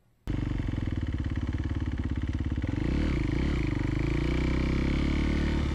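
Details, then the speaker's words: 2011 Kawasaki KX250F single on a test ride after the valves were shimmed on the high side. Fires up sharply and pulls strong and even through the revs with a faint valve tapping. Runs well with a lot of power. "she seems to run pretty good yeah this thing's got a ton of power for a 250 I'm I'm actually really impressed with it"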